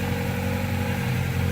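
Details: 1997-2001 Honda Prelude at idle after power steering belt replacement: steady, even idle with smooth low hum and no chirp or squeal from the belts; belt installed correctly.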